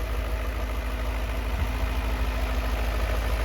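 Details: Fully restored BMW E39 M5 with new intake, idling not yet warm, heard from out back: deep steady burble about three pulses a second, no misses or knocks; healthy normal idle.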